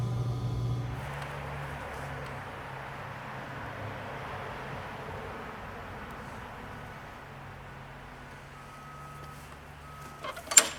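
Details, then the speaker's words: Old green MTD push mower ready for resale, first run outside after fuel tank flush, new quarter-inch fuel line and recoil work, air filter cover on without a new filter, no blade fitted: a steady, smooth single-cylinder drone with no misses or knocks. It runs beautifully. "this thing runs beautiful"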